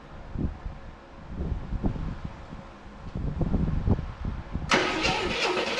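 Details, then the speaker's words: 1984 Chevrolet C10 pickup, six-cylinder, 84k miles, parked since 1993: starter churns unevenly for several seconds with gas in the carburetor, never fires. "Okay, it's not working. So, let's pull the plug."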